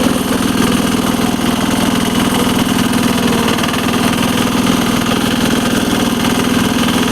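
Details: 1983 Case 446 tractor repowered with a Lombardini 6LD 435 single-cylinder diesel (replacing a failed Onan), idling: rapid, even diesel clatter with steady beat, no misses or knocks; normal healthy idle.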